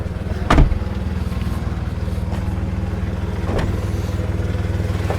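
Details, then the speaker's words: VW Polo 1.2 at idle: steady idle with a rapid, even puffing chuff over the low drone as exhaust dumps out underneath. Huge exhaust leak. "Main one being a huge exhaust leak. So if I prop you guys there while I start the car, you can hear the exhaust is pretty much dumping from down there."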